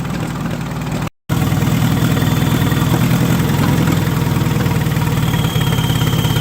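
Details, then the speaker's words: 1958 Oliver 550 gasoline tractor bought at auction: low uneven loping idle, irregular beats around two per second; idle mixture screw found completely closed, belt squeaking. "that's interesting definitely something not right in the carburetor the idle screw is completely closed"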